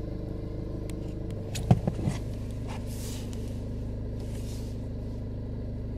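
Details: VW/Skoda/Audi engine, cold start on a winter day: low steady rumble at a raised even idle around 1100 rpm with handling clicks; normal cold-engine fast idle.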